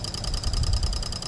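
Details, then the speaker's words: Older BMW, purge valve commanded on via a Mucar CDE900 Pro bi-directional scan tool: fast, even clicking, which the owner believes is the vent solenoid, with a faint steady tone behind; solenoid working normally. "clicking oh it's this guy right here this is the vent solenoid I believe that's cool though it actually works"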